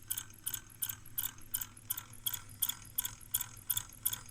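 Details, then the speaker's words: Brüel & Kjær WA 0155 balancing demo unit with new belt, shaft bent slightly on the left side (possibly dropped): bright metallic clicking about three times a second, even with rotation over a low hum; bearing loaded by the bent shaft. "you see it is definitely the shaft that is Bend and you can actually hear the bearing is uh loaded with this kind of problem"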